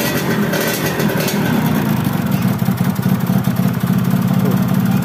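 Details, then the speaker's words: Yamaha F1ZR two-stroke motorcycle, just after an engine rebuild, idling with a dull, flat, muffled note. It is powerless and stalls when the idle is lowered, because compression leaks at the spark plug seat in the cylinder head. "kata yang punya ini habis turun mesin tapi suaranya jadi bindeng alias gak ada tenaganya nahar sekali"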